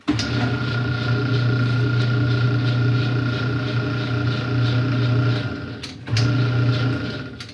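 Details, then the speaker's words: Whirlpool/Kenmore direct-drive washer on suds return, still agitates: loud rough drone with a thin steady whine while the motor drives, cutting out and restarting; motor coupler about to break. "so you hear that loud sound which means which means the motor coupler is broken or is it or it is about to break in my case it is about to break"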